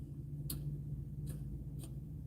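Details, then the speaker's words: 2006 Mercedes Vito diesel van won't start: foot on clutch, power confirmed at the starter lead; three sharp single clicks over about 1.5 seconds with no cranking, starter motor has failed. "nothing so it looks like we need a starter motor you can hear a click"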